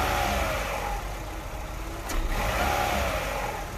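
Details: Petrol engine with a bad fuel pressure regulator revving sluggishly and unevenly at low rpm, lagging and misfiring on acceleration and running rich; stuck particles found inside the regulator, which was replaced, giving instant acceleration.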